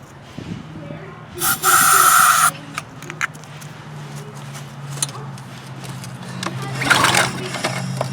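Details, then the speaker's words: Troy-Bilt pressure washer with Briggs & Stratton engine, cold, starting fluid in carburetor: two short pull-cord cranking bursts with no firing at all; no-start. "all right guys that's surprising to me that it's not firing even on the starting fluid"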